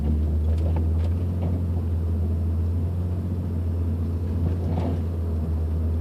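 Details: 2002 Nissan Maxima driving: deep road rumble with a few irregular, sharp knocks coming from the rear of the car.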